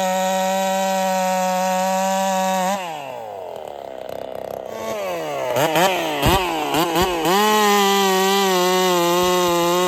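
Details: Holzfforma 372 chainsaw, big bore kit, wild porting, first test with ignition timing advanced: drops off, climbs back with uneven stuttering revs and pops, settles to high buzz, won't rev out; owner suspects timing too far advanced.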